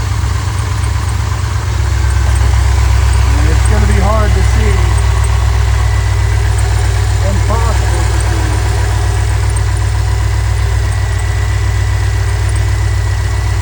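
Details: Chevrolet C10 with a Holley Sniper EFI that was misfiring and backfiring, started after setting static timing to check it, before the timing was set to 15° with the gun: a steady low V8 idle with an even rhythm and no stumble. Normal idle.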